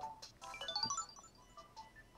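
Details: White Nintendo DSi XL that did not boot, after fitting a new fuse: bright clean rising melody plays once at power-on; console boots and chimes as it should, hinge still broken.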